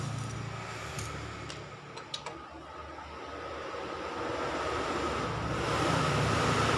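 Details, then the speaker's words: Honda Supra 125 electric starter, before repair: steady fast whir climbing in pitch and loudness, engine never turns; starter spins free because the magnets in the housing were installed reversed, reversing its rotation. "Hai ini dinamo staternya terdengar berputar tapi tidak bisa menggerakkan mesin"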